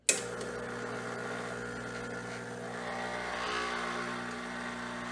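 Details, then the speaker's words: Espresso machine, first shot of Mayorga Cafe Cubano organic dark roast: steady buzzing pump hum at about 9.8 bar with no flow; grind too fine, puck choked, nothing comes out, so the grind needs to be coarser. "so the pressure is at around 9.8 and it looks like the grind is too fine because so far nothing has came out we're definitely have to reduce the grind size for this dark roast nothing comes out okay so this is definitely too fine"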